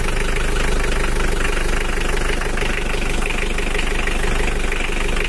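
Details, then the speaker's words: Old Mitsubishi L300 diesel, cold, idle slightly raised: even, steady clatter with no stumble. The earlier limping beat is gone and it sounds better than before. "Suaranya udah rata ya lor, tapi nggak kayak kemarin ada pincangnya tak gitu. Tapi sekarang udah rata dan suaranya juga udah mendingan daripada kemarin."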